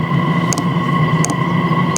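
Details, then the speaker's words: Standard Chinese diesel heater fuel pump, recorded with a wireless microphone right beside it, before swapping to an ultra-quiet pump: sharp, even ticks about every 0.7 seconds over a steady fan hum. Normal pump clicking. "so this is what the diesel Heater fuel pump sounds like this is the standard diesel Heater fuel pump"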